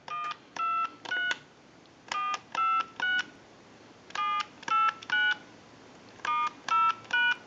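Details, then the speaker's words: Repaired clear Trimline telephone final checkout via amplified pickup: dial tone then crisp, steady touch-tone keypad tones in bursts with quiet gaps, numbers showing on analyzer; dialing works properly. "we'll give you some dial tone we're gonna walk through our numbers if you watch the analyzer you'll watch the numbers roll by"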